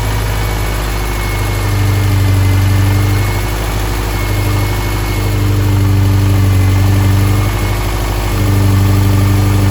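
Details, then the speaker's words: White 2007 Subaru STI after engine assembly, second startup after fixing an injector fuel leak: steady turbo flat-four idle with a faint, loosely regular tap about three per second; owner suspects slight rod knock but is unsure, and also notes possible transmission noise. "All right, guys, so got it running. You probably saw that, but I feel like it has a little bit of rod knot. I don't know, it's hard to tell."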